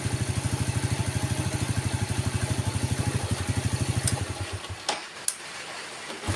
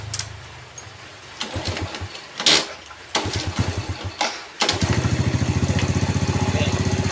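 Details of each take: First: Yamaha Vega ZR single-cylinder, hard starting, hesitating and stalling: after spark plug gap was tightened it idles with an even putter about three beats a second, then is switched off; weak ignition (coil, CDI or pulser) suspected. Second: Yamaha Vega ZR with spark plug gap back at standard: several start attempts fail to catch before it fires into a lumpy, pulsing idle; stumbles and dies on throttle; weak ignition.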